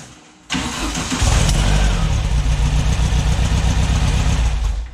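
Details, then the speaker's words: First start of a freshly built VW air-cooled 2332cc stroker (SCAT 84mm crank, Mahle 94mm pistons, Engle FK42 cam, dual Weber IDF 44 carbs) in a 1966 split bus: cranks, catches, lumpy uneven beat; builder suspects timing or carbs, unconfirmed. "all right see the timing's a little bit off or the carbs what is that noise"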